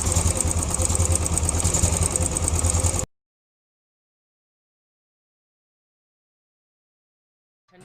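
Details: Royal Enfield Classic 350, 17,334 km, after tappet and timing gear work: even, steady single-cylinder thump about three beats per second, tappet noise now fully gone, no tapping or clatter; normal idle.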